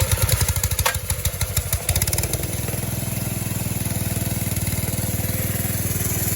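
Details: Compressor engine after releasing pump pressure with the compression release: a few heavy pulls, then it catches and settles into a steady, even single-cylinder putter; normal running.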